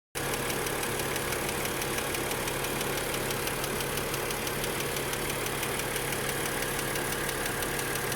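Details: Steady idle with a fast, light ticking on top from the hydraulic lifters of a BMW E90/E92 N52 engine. Revving at a constant 3,000 rpm for two minutes did not fix it.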